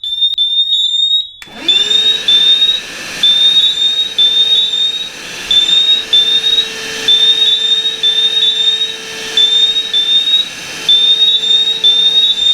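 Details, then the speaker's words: Cavius alarm sounding repeated shrill high chirps over a vacuum drone; smoke in its sensor set it off, and vacuuming the sensor stopped it. Humidity, dust or a bug can also trigger it. "So all I did was suck the smoke out of there and it stopped. Now it's the same. It could be humidity, it could be dust, it could be a bug, anything like that."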